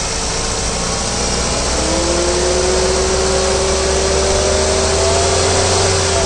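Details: 2010 Ford Fiesta, DL4C: steady engine note with a thin whine that climbs in pitch as it revs; engine noise when revving, source unclear.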